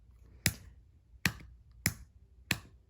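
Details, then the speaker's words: 1995 Honda Shadow VLX 600 (VT600CD) no-start: four sharp, unevenly spaced starter relay clicks with no cranking, relay only clicking when the start button is pressed fully down; poor switch contact, to be cleaned with electrical contact cleaner. "start button depressed start button pressed look i can i can get it to work i just have to kind of make sure it's all the way down"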